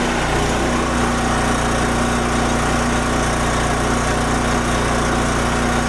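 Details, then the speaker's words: Wen Power Pro 3500 watt generator revived after 15+ years unused, loaded to 3,050 watts at 58 hertz: steady engine drone holding pitch under heavy electrical load, no hunting or surging; runs healthy. "Okay, that's 3,050 watts right there. 58 hertz."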